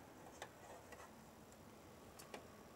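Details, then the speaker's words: CPU fan for an IBM server, tested on the bench: soft hiss with irregular sharp ticks about twice a second, present regardless of orientation or contact. "it's making noise whether it's touch anything or not no matter which way you turn it so it's definitely not the best fan ever"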